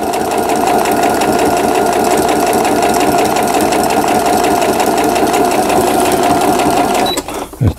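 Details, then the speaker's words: Riccar Quilt Friend digital sewing machine after repair of the weak auto-threader. Straight stitching gives a fast, even chatter of about three stitches a second with a steady motor hum and no knocking; it sews smoothly. "직선 바느질 박음질을 했고요."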